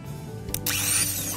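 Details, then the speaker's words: Toyota Kijang Kapsul petrol starter motor on the bench after repair, powered by a direct cable. A quick clack, then a clean rising whine as it spins up freely: a healthy starter motor. "Nah berarti Bisa saya bilang ini sudah berhasil Yaa Bro"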